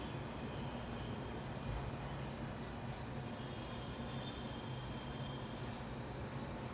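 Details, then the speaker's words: Samsung AR18AY5YATZ air conditioner outdoor unit at night, phone one step away, compressor on: steady even hum, low drone and fan rush, slightly loud but not much, no knocks or rattles; normal running. "You can hear the sound is a little bit high, but not that much high."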